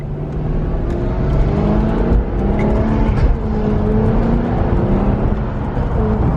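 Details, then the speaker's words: 2006 Maserati Quattroporte with DuoSelect automated manual, running after years sitting, on test drive not at full throttle pending oil change: engine pulls steadily in each gear and drops cleanly at shifts, slow but smooth, no clunk or slip. Normal automated manual gear shifts. "yeah it's actually super smooth so the shifts aren't very quick don't get me wrong but at least they're smooth there's a downshift"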